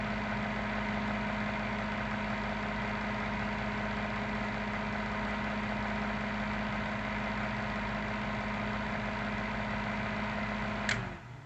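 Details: Maytag top-load washer on bench test of its repaired control board, actuator in spin position: steady even hum with constant low tone until a click and stop; normal spin.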